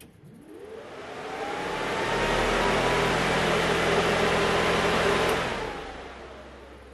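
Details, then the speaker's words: Pro Street Starfire with newly wired electric radiator fan: strong rushing whoosh with a whine that climbs over two seconds, holds steady, then winds down. Fan runs strongly and normally, "like a windmill." "um but i got the fan wired up finally and my goodness does this thing have a fan on it listen to this whole thing"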